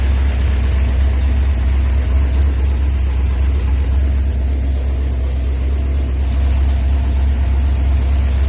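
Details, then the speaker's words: Car "Project ENRON 64" (Twin J edition) running well with ignition timing set to 32 degrees: deep, even, steady V8 rumble with no misses or stumbles; normal running. "You guys can hear it actually finally runs. Runs good. I got the timing set at 32 degrees."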